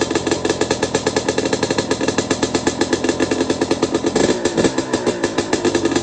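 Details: Two-stroke bike with the muffler packing removed, at fast idle: crisp, evenly spaced pops with each stroke separated and a quick blip. Healthy engine, just much louder without packing.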